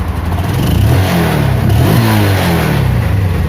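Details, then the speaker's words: Spark 135i after engine rebuild with new connecting rod, big-end bearing and 58.5 mm piston: single-cylinder revs rise and fall cleanly, quiet bottom end, knock heard before repair now gone. Normal engine revving. "ตอนนี้เสร็จแล้วนะครับก็ให้ฟังเสียงดูครับอ่าถ้าเงียบนะครับถ้าเทียบกับตอนที่ก่อนรื้อหนังมากโกหกหนังลั่นเลยนะครับตอนนี้เงียบเลยครับไม่ได้ยินเสียงแล้วครับ"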